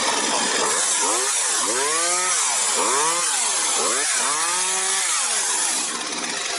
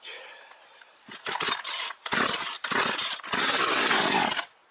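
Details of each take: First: Partner 351 chainsaw, formerly stalling when choke was off, after new bar, sprocket, carburetor-to-cylinder adapter, gaskets, hose and carb adjustment: revs up and falls back cleanly without bogging or dying, running like new. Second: Partner 351 chainsaw that stalls when choke is removed, after carburetor disassembly: catches in ragged high-pitched bursts that keep cutting out over about three seconds, then dies; carburetor mixture screws then readjusted.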